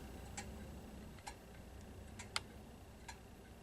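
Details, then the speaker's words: Ridgeway clock, a trash find still running after 4 years despite missing its inner door: even ticking at roughly one beat a second in a quiet room; running like it's supposed to. "And yeah, it's still here, so still running like it's supposed to."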